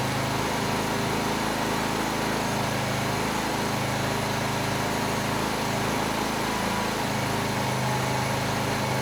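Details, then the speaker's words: Honeywell HW2000i 2000 W inverter generator, hot restart needing full choke, two or three pulls: runs at fairly steady speed with slight uneven flutter, no knocks or misses, idles without surging; owner doubts carburetor issue. "once it's running it runs very well it has no issues handling a 1500 watt load the Herz and the voltage are rock solid and it idles down and runs just fine without surging"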